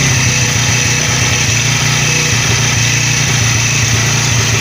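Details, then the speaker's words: 100cc motorcycle engine after the bearing was replaced, idling while the clutch is pressed repeatedly. Steady, even single-cylinder idle that stays smooth; no rattle or whir, the earlier clutch-press noise is gone. "दोस्तों बिल्कुल आवाज इसकी perfect हो गई है बंद कर दो यह दोस्तों हमारे इंजन की बिल्कुल आवाज स्मूथ हो चुकी है बिल्कुल गायब हो चुकी है"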